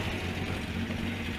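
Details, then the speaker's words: Renault Trafic 2.2 L diesel with central silencer and original rear silencer, heard from the rear at idle: steady, soft, well-muffled exhaust, mostly engine fan whoosh; normal quiet exhaust. "son il fait quasiment pas de bruit on entend surtout le bruit du du ventilo du moteur"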